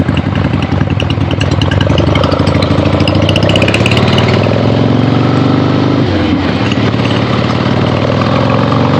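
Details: 1975 Harley-Davidson XLH Ironhead Sportster, freshly rebuilt and basically stock, on a test ride with the camera clipped to the rider: strong, even V-twin beat rising and falling cleanly through the revs, no misses or knocks; runs great, healthy.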